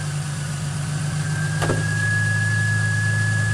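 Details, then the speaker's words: 2005 Ford Mustang, first start of a rebuilt, retimed $200 donor engine after the car sat about 12 years, new fuel filter: even, steady low idle with one brief click and no misses or knocks; smooth, healthy idle. "Smooth. Smooth. Oh man, is that nice. That is really nice. I'm gonna let her just idle."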